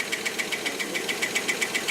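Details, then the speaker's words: Rolls-Royce Silver Cloud III with SU carburettors being diagnosed for fail-to-proceed, idling in park: crisp even metallic tapping about seven per second that speeds up as throttle opens; mixture still slightly rich. "Hear that tapping? See how it speeds up when I open it up?"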